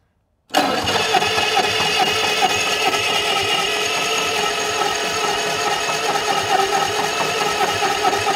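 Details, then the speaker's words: Circa-1950 Bucyrus Erie 22B cable shovel, sitting since 1999, gasoline pony motor at start-up: runs ragged and uneven with irregular popping. A breather is dumping gasoline, cylinders are fouled and misfiring, and a head is to be pulled. "we got to pull one of these heads off here because uh stuff ain't going real well on these Pony Motors"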